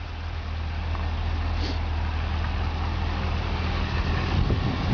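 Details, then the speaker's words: Repairable salvage 2010 Cadillac CTS-V after accident; low, steady idle rumble with no knocks, ticks or misses over faint outdoor noise, engine reported fine. "hear the motor running everything in the engine is fine"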